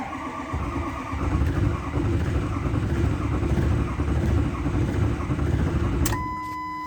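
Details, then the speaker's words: 2006 Ford F-250 Super Duty 6.0 Power Stroke diesel, about 125,000 miles, cold start after sitting two days with glow plugs cycled: starter churns about six seconds with uneven chugging, almost catches but never fires; long cranking, no start. "you heard it it almost wants to start if that makes sense"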